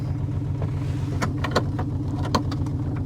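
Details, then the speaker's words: Car at auction, needs engine oil change, every dash warning light on: low uneven rumble with unsteady beat and occasional sharp ticks; runs rough, cause not confirmed. "Oh, she runs. She runs. Every light on the dash is on, but she runs. Aftermarket blue glowing gauges. Change engine oil. She runs pretty rough."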